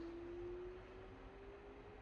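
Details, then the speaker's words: New Samsung washing machine on its roughly 3-minute empty calibration spin: soft, steady hum with a faint even tone and no rumble or grinding, a quiet healthy spin compared with the worn-out Hotpoint it replaced. "can't even fraking hear it we're living in luxury now boys compared to the last one"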